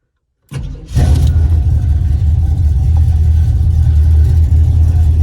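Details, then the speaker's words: 1978 El Camino, 357 small-block Chevy with TH400, cold day: the V8 cranks into a deep lumpy cold idle near 500 rpm, with a rough puffing edge from exhaust leaks at the welds of both header collectors. "the only thing you'll probably hear today is it has a leak at the collector on both sides actually it's where the weld is"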